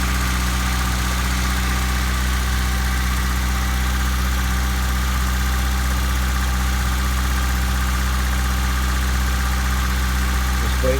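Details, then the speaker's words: 1997 Honda Civic, cold engine after fuel filter replacement: steady even idle sitting a touch high with low smooth hum and no misses; idle a little high because it is cold. Slightly high cold idle, normal. "Right now I'm sitting on one head idle, but she's cold. That's why. See, my gas gauge went down a little bit, but not bad. Idle's a little high because she is cold."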